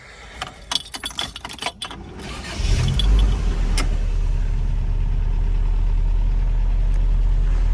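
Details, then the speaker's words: 1989 Toyota Pickup 22RE, rust-free California survivor, at startup: keys jingle, engine catches and settles into a low, steady, even idle, purring like a sewing machine with no knocks or misses; check engine light on, code possibly 24, points to the mass airflow sensor. "she just purrs it runs uh runs just like a sewing machine"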